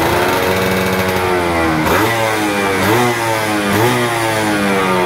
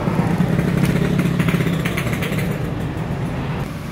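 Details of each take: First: Stock F1ZR 110 two-stroke after fitting a new carburetor, which cured bogging at full throttle. Crisp revving rises and falls cleanly through repeated blips with no stumble or bog, pulling freely and healthy. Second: Yamaha F1ZR two-stroke, original ignition, coil and carburetor, air filter rubber fitted; revs raggedly, stuttering and sagging instead of climbing, revs freely with the rubber removed; bogging from air leak at cracked carburetor.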